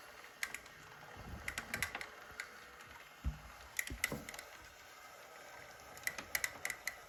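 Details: Zwift indoor bike/trainer in a quiet room; sharp, light clicks come in small irregular clusters, a couple every few seconds. Intermittent clicking noise, cause unclear.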